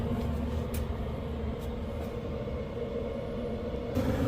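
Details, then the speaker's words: HCalory Toolbox 2S Plus diesel heater with an insulated muffler adapter, restarted after the fuel tank was leveled (only about a quarter gallon of fuel). A steady, smooth low rumble from the burner and fan with no rattles or surges; super quiet, normal running, reaching 75.2 at about 2 minutes. "This thing is super quiet. Super quiet."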